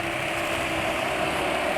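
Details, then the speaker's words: Motorcycle four-stroke engine at low idle on Audilube 20W50 4T oil: busy, rattly top-end valvetrain chatter, louder than with Meditran SX Bio at 1,950 km; pulls well and feels light, oil's additives suspected unsuited to low RPM. "Asak-asaknya jauh lebih besar daripada Mediterranean Essex Bio campur Styling yang sudah 1950 km. Tapi ini dari tarikan terasa enak ya, rasa cukup ringan. Cuma suaranya mesin tok asak-asak."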